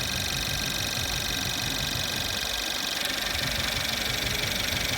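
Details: Mercedes-Benz C180 CGI W205, M274 engine, after alternator replacement: steady idle with even hiss, no electrical whine from the front of the engine; the old alternator whined and charged low, charging now about 14.1-14.17 V.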